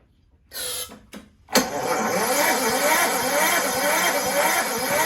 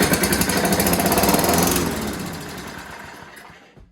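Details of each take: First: Toro Recycler 6.5 hp push mower, soaked plug swapped for a known good one: pull attempts spin the engine and it sputters but can't get over compression. Low compression from a leaking exhaust valve. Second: Toro Recycler 6.5 hp push mower, started with fuel dribbled into the carb throat: even, rapid firing about three to four beats a second with no knocks, then a smooth wind-down. Normal running; the exhaust valve had been the problem.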